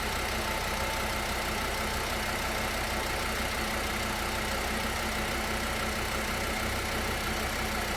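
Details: 2013 VW Passat 2.5, towed in as not charging and blamed on the alternator, idling after a soldered fuse-link repair, charging at 13.9 V: steady even idle under background hiss, no knocks or stumbles.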